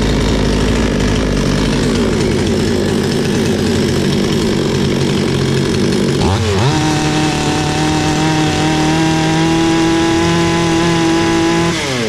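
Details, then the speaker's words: Bolat 5820 chainsaw that kept stalling, after cleaning dust from the air filter (not a carburettor adjustment): engine picks up cleanly from low to steady high revs without bogging, running normally. "sadece hafifliği çıkarttık motor normale döndü"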